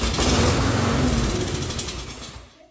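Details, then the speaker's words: Lawn mower that won't start, pulled after a small shot of starting fluid; catches, runs rough about two seconds, then sputters out; expected for this test, pointing to a fuel delivery problem, likely carburetor. "See how it started and died? That is very normal. So, with this machine here, um, it started right up and died."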